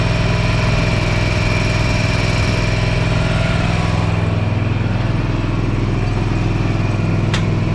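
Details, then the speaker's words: Gravely ZT60HD zero turn with used 26 hp Kawasaki engine swapped in, after running about 10 minutes to burn oil from exhaust: steady even low rumble about three and a half firings a second; smooth healthy idle. "all I let it run for about 10 minutes and it burned all that oil out of the exhaust and it quit smoking it was running pretty good"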